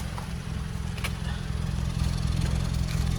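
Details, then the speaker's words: Toyota Corolla at idle, heard at the exhaust after repair: even, steady exhaust note with no puffing or skipped beats; all four cylinders now firing. The check engine light is still on from coil-disconnection tests. "vocês percebem que não tá mais fazendo trabalhando bem trabalhando certinho certo indicando confirmando que está funcionando os quatro cilindros"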